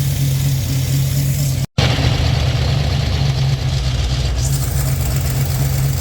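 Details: 1967 Chevy Nova small-block with FiTech EFI warming up after injector cleaning: steady, even low idle hum with no ticks, knocks or misses; sounds healthy, hopefully undamaged.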